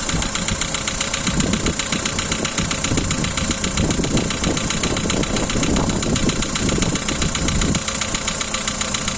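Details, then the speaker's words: Volkswagen Polo 2012, 1.6 CFNA engine, cold start: fast, sharp ticking over the cold idle, about four a second, one lifter slapping loudly and a couple faintly; hydraulic lifter tick that stops once warm. "Volkswagen Polo, 12 год, мотор 1.6, холодный старт. Поехали, заводим. Один сильно шлепает конденсатор и парочку немного."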